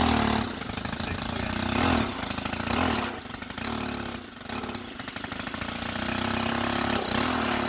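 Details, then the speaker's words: Stihl FS90R string trimmer two-stroke after spark plug replacement with aftermarket plug, still warming up, run partly unchoked; uneven buzzing with a few dips and surges, otherwise healthy running. "Sounds good, I guess. Did you have the thing all the way down? You choke, yeah."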